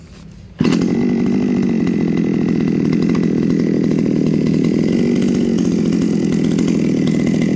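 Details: Komatsu G410 Japanese collector chainsaw, original unmodified engine with 50 cm bar and .325 chain: fires and settles into smooth, even buzzing run with steady pitch and no hesitation; running normally.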